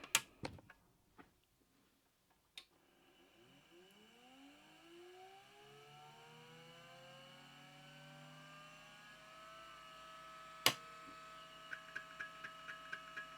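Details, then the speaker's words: Amiga 2000 SupraDrive removable SCSI drive, microphone placed near the drive, noise filtering on: a quiet whir climbs smoothly in pitch, then holds a steady tone. Normal, healthy drive spin-up. "you should hear this drive crank up man I'll put the microphone up near the drive so you can get a little bit of an idea of uh the sound that these things make here"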